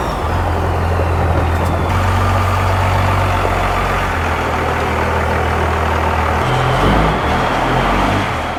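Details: Cummins-swapped Ford truck idling after injector bleeding; steady even diesel clatter with smooth low rumble, no knocks or squeals, purring; normal idle.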